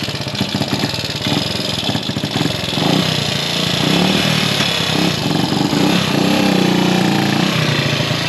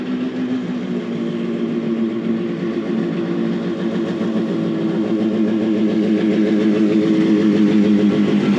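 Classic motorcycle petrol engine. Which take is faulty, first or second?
first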